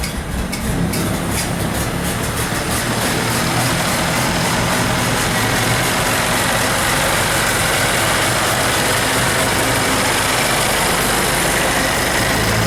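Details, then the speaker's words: 1931 Ford Model A after reassembly and a shorted headlight wire fix, cranking: starter churns the engine over steadily for several seconds but it never fires because the gas valve was shut off; crank, no start. "oh I had the gas uh turned off here"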